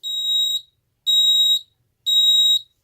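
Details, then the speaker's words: Ademco 6139R keypad with the carbon monoxide zone (zone 04) activated. Three shrill half-second beeps about a second apart: the keypad sounds the older temporal-3 pattern instead of temporal-4, since it predates that standard. "And you can hear it again doing the temporal 3 beeping because this keypad was designed before the temporal 4 tone for carbon monoxide alarms became standard."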